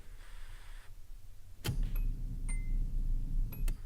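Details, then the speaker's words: V8-swapped Nissan 240SX after replacing a blown fuse, key on: sharp click then low, steady hum for a couple of seconds with a few light clicks; fuel pump priming normally. "we should know very quickly whether or not this is the fix because we'll hear the pumps come on let's listen for it"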